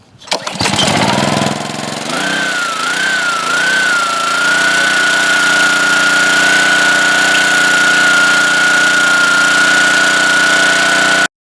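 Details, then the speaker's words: Homelite vertical pressure washer engine, water hooked up but off, after unloader check: pulled over on choke, catches within a second and runs steady and smooth; engine normal, though pump has no pressure from broken check valves. "um the engine works great so we'll just turn it on"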